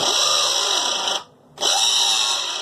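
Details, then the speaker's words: Philips hair dryer: harsh, hissy scraping buzz that cuts out briefly and returns, then the dryer stops working; on disassembly a shifted part let the fan blades rub against the protective plastic housing. "el problema estaba acá dentro este 22 se había movido y caería y raspaban las paletas contra estos plásticos protectores"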